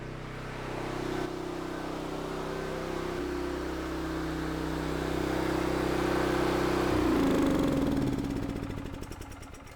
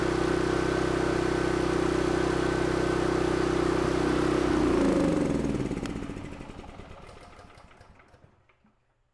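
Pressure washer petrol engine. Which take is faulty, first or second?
second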